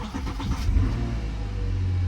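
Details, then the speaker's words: Car at auction with 211,276 miles, oil slightly overfull and dirty: brief crank, then it catches at once and settles into a smooth, even idle with no warning lights; normal start. "Wow. Started right up. No issue at all there. No lights on. Running smooth."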